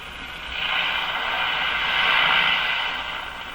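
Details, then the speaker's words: Mohawk Model 1240 five-tube radio run with the AVC capacitor removed before installing a new one; only swelling hiss and rushing static as the dial sweeps, no stations received, somewhat howling; reception lost without the AVC capacitor. "that's a little surprising it sounds like it's working fine but it's not picking up any signals just because I took out the AVC capacitor"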